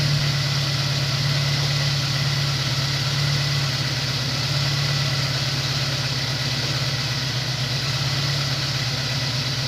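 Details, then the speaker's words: Honda S2000 idling after replacing the melted coil pack; steady, even idle with a smooth low hum, no misses or stumbles; car sounds normal now; normal idle. "car sounds normal now"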